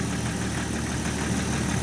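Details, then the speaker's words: Jeep six-cylinder idling with a DC-powered hydrogen generator and newly fitted 12-hole injectors replacing the originals: low, even idle hum with no misses, knocks or ticks; quieter and smoother with the hydrogen. "but yeah honestly running with the hydrogen it is quieter smoother"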